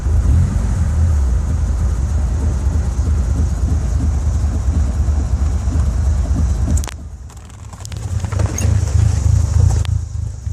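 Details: 4G64 converted to 4G63 engine: low, uneven idle with an irregular lope and a momentary dip in level; rough idle, cause not confirmed.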